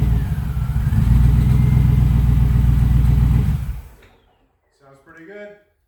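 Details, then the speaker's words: Freshly installed LS6 V8 on its first start: deep, even rumble with a regular beat about four per second, then a clean shut-off; normal running. "All right. Hey, it runs and it sounds great."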